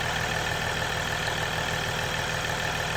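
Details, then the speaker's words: 2022 Ram EcoDiesel 3.0 diesel with aFe intake, after installing aFe Power Blade Runner charge pipes: steady even idle with faint constant high turbo whistle, smooth firing, no knock; turbo heard a bit more, normal idle. "from what I can hear sounds like you can hear the turbo a little bit more which is good any any more noise is good"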